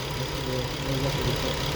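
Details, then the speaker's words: 2014 Infiniti Q50 with P0340, Bank 1 intake valve timing reading -17, new camshaft sensor fitted: uneven, lumpy, shaking idle because one ignition coil is left out; misfire from missing ignition coil. "yeah and one is and the car is running like shaking because one coil is not missing"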